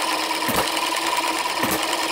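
Two soft firing thumps about a second apart, coasting quietly between them: a slow, even hit-and-miss cycle running healthily.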